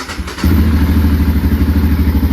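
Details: 2005 Can-Am DS650 single-cylinder quad bought non-running, cranking on the starter while waiting for oil pressure/coolant light to go out; quiet start then steady even chugging without firing; normal cranking.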